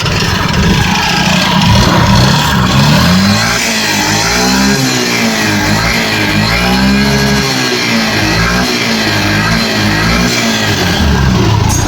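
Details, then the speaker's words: Yamaha Fascino 125 BS6 scooter, smoking, at full revs: a rough, clattery engine noise rising and falling with revs, with a harsh rattle. Worn piston and bore with heavy carbon buildup. "और engine में आके बहुत ज्यादा different सा sound आ रहा है"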